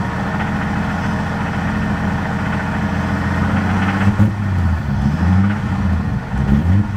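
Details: 1990 Toyota Supra 7M-GTE, rebuilt by previous owner, head gasket since replaced, bottom end untouched; steady idle with a low even knock following engine speed plus throttle blips, came on suddenly while driving, suspected rod knock, unconfirmed.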